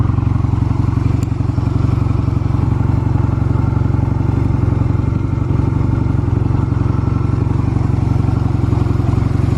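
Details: Stored Honda Rebel 250 Special (MC13-1103) start-up check: even, steady low thumping at idle with no ticks, knocks or rattles; normal idle, no abnormal engine noise.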